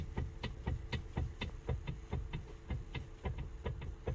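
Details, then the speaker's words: 2008 Ford Escape Hybrid, steering shaft U-joint just outside the firewall. Dull irregular pops about twice a second as the wheel is turned, heard at the floor behind the firewall; worn steering shaft U-joint. "Here's that sound that I was telling you. That U-joint that's just outside the firewall."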